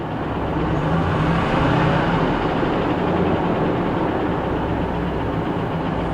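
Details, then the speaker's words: 2012 Chevy Cruze Eco with low battery voltage: rough, lumpy idle with uneven low thump; aggressive tapping from one side, possibly lifters or a deep knock, plus a heavy misfire. "I'm not sure guys that sounds like a deep knock maybe not just a a rattle or a tab maybe a knock oh shoot and a pretty heavy misfire yeah hear"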